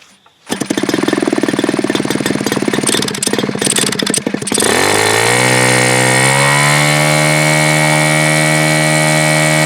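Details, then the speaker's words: Super Tigre G4500 glow engine on its first run: a few seconds of rough cranking catch into a steady, high-pitched buzz holding an even note; runs clean. "Okay. Alright, so that'll be it for this run. Okay, so that was a blast. I don't know where I should be here. That was really fun. This is a really cool engine to run,"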